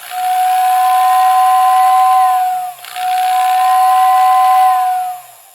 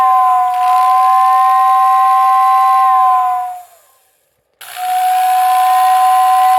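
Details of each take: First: Lionel OO whistling tender, poor whistle after equalizing brush spring tension: two-tone whistle thin and uneven, one tone much weaker, sometimes cutting in and out; whistle motor spinning backwards from reversed brush wires. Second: Lionel OO whistling tender after reversing swapped brush wires on the whistle motor to correct motor direction: three loud, steady two-tone whistle blasts, louder and more intense, both tones clear; whistle now normal.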